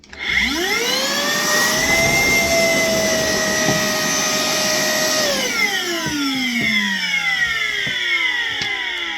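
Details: Worx WX031 brushless cordless wet/dry vacuum on a 20V battery during a water capacity test, swallowing about 2.5 liters. Steady high motor whine that climbs as it spins up, holds even while sucking water, then winds down smoothly; normal wet pickup.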